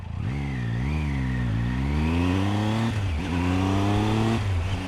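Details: Rebuilt Honda Click 125i scooter, first start with no exhaust fitted: the open-pipe single revs up and down cleanly, with pitch following the throttle smoothly and no knocks or misses. The freshly built engine sounds healthy.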